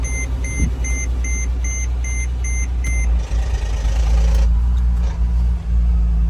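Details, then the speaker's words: Car that would not start because water got into the body control module. After the BCM was cleaned and refitted, dash chimes sound, then the engine starts and settles into an even, steady idle with no misses or knocks; it restarts repeatedly. "Half से प गाड़ी अब start हो रही है माशाल्ला इसका जो मसला था बॉडी कंट्रोल मॉड्यूल में था"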